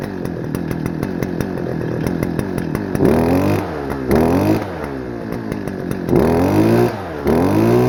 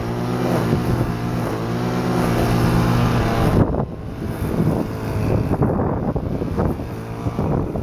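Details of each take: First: Stihl FS-250R two-stroke trimmer, long stored with old gas, carb diaphragm hardened, before rebuild, cold rainy day: rough at low speed, throttle blips climb only partway then sag, smoking a lot; running rich, poor revving. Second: Stihl FS-250R two-stroke trimmer after carburetor rebuild kit (hardened diaphragm from long storage with old fuel), cutting wet grass: high steady buzz, slight bog as it bites, recovers cleanly; normal running under load.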